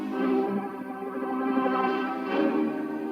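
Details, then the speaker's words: Restored Sony TC 106 reel-to-reel playing a nearly 60-year-old charity-shop tape: music sways in pitch, slow wavering with quicker flutter on held notes; wow and flutter absent with new recordings, cause suspected as old tape. "You hear that warbling, like it doesn't do that when I record from like a new recording."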